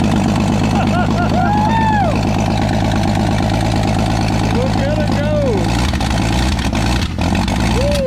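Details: Old fleet car fired up after fitting a new starter (battery or starter had been dragging). Engine settles into a steady, even idle with voices whooping over it and no knocks or stumbles. Normal idle, good running.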